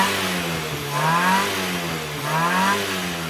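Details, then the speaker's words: Classic Mini or Morris Minor A-series engine after a Viper 8-ohm coil, new plugs gapped to 35 thou, new leads and a carb tune: clean revving through two smooth rises and falls with no misfire or stumble. Healthy after tuning. "so that engine has responded really well for tune in so now let's send the owner out here and see what he [Music] thinks"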